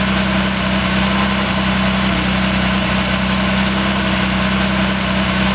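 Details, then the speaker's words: Series II Jaguar E-Type six-cylinder idling on first start after stripdown to repair a stuck valve, cams retimed, tensioner adjusted, fluids filled; steady, even idle with smooth unbroken rhythm, no ticks or misfires: normal idle. "All the fluids, oil levels, coolant, are all checked. Everything's back together. Let's see what it sounds like."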